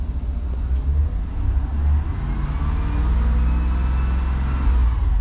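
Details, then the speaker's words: Propane-powered bus at pre-trip, brake pedal pressed while air pressure builds toward 120–140 psi: deep, steady engine rumble rising slightly as revs held up, smooth and even with no knocks or rattles; normal revving. "I'm going to press the brake in just to amplify it a little bit. Sometimes that helps speed it up. It's building."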